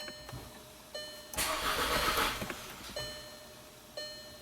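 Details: 2012 VW Tiguan turbo GDI with worsening misfire and code P0087, jump-started: steady high rear fuel-pump whine, about a second of cranking that never catches; fuel pressure only 10 bar versus 48 specified, crank-start-stall.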